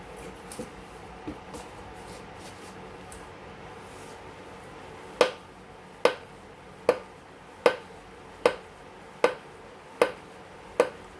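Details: Newly assembled Yesoul S3 exercise bike, with sharp, ringing clicks from the left pedal area about every 0.8 seconds, once per pedal turn: clicking while pedalling, cause unknown.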